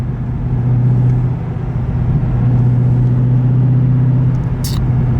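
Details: Chevrolet Corvette C6 V8 driving on new AMT Vulcan motor mounts, downshifted to higher rpm rather than 40 mph in 6th: steady deep engine drone with faint low throb, no clunks or banging; mounts holding.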